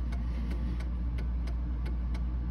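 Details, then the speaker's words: Mantle clock being put in beat by bending a wire: a steady tick at about three per second over a low hum, with gaps alternating long and short. It is better after adjustment but still slightly out of beat. "better but it's still at a beat all right let's try it a little bit more"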